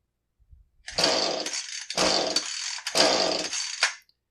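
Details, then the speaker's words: Husqvarna 435 chainsaw that won't start, with fuel running out of the muffler and spark now showing: three cord pulls, each a harsh rasping burst of about a second that briefly sounds like firing, then dies. Coil or timing fault suspected, not confirmed. "you notice how it it wasn't just a dead pull it kind of sounded like it had sparker at least for the first few revolutions and you know a coil failure isn't always just no spark you could have timing issues or spark just for the first second or so"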